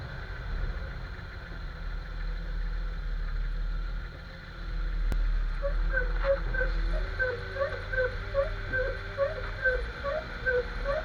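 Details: Jeep XJ driving: rhythmic high rubbery chirping squeak about twice a second, tied to wheel rotation, over road rumble, felt as vibration; owner suspects the front axle u-joint though its boot looks unworn, also considers the steering stabilizer.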